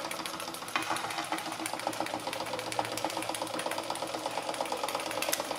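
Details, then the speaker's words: Märklin 4106 live steam engine with 6.5-inch boiler after rebuild, homemade burner on ~90% grain alcohol, 10% water, being sped up after running slow: fast even chuffing and ticking, steady, no stumbles or knocks; normal running. "Slow it down just a little bit. Good runner. Nice and slow here. Let's speed it up."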